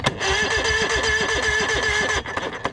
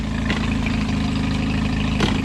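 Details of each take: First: Evinrude 115 E-TEC tiller outboard with the kill switch disconnected: starter turns it evenly for about two seconds with no firing. Cranks but no spark; the computer is to be swapped. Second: oh yeah everything's working [Music] she runs amazing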